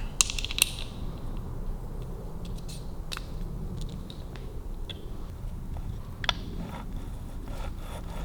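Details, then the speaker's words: Kawasaki KH750 two-stroke triple gearbox turned by hand with engine out; irregular scraping clicks and ratchety grinding; shifter forks seem loose, shifter barrel to be inspected, chasing running noise that stops with clutch pulled in. "It's quite noisy on the shifter forks. I'll check what the clearance should be on the shifter forks as well, because they seem quite loose. That sounds horrible, that one. It's very grindy, isn't it?"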